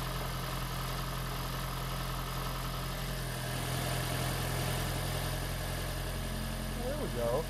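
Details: Freshly swapped 2016 4th-gen engine in a 2012 Prius V, first start on jack stands in maintenance mode before coolant air purge: a quiet, steady low petrol hum, slightly uneven at first, then settling into a healthy normal idle.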